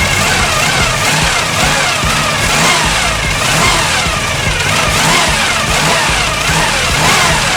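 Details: 1974 Chevy Nova after years sitting: the engine sputters and revs unevenly, surging and stumbling, while running on super old gas in the carb's float bowls. The fuel filter is still reddish and mucky; the plan is to burn the old fuel out or clean the carb.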